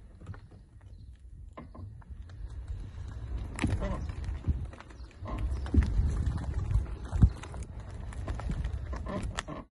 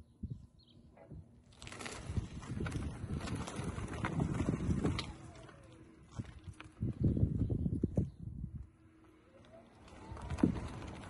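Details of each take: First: 2019 Tesla Model 3 Performance, front driver's side: irregular creaks and knocks over bumps and dropped kerbs from the upper control arm ball joint; a redesigned upper control arm can be fitted free under warranty. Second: 2019 Tesla Model 3 Performance after the fix to the driver's-side front upper control arm/ball joint that caused squeaks over bumps. Slow drive over bumps gives low road thumps with no squeak from the front suspension.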